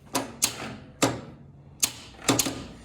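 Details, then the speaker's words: 1947 Willys CJ2A barn find after new starter install: isolated, irregular clunks about once a second with no real spin, starter stalling on compression; engine tight, dead battery suspected. "That sounds like a dead battery. Let's hook the charger back up and give her some more woo pals and see what happens."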